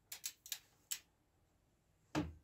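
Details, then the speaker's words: 2010 Dacia Duster 1.5 dCi K9K 896 timing belt job, crankshaft pulley turned slowly by hand: light ticks then one firm knock as the pulley stops against the timing pin, confirming correct timing position. "vous allez l'entendre vous y allez doucement mais vous allez entendre un PAF qui dit qu'elle est bien en buté contre vous pourrez plus tourner votre pouli d'Ampère"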